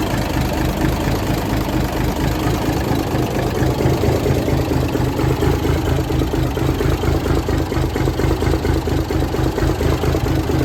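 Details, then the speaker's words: 1978 International Transtar II cabover diesel, first start after sitting 3 years during restoration: steady, even idle clatter with a consistent low thrum, no misses or knocks; runs healthy. "It worked. Sounds good to me."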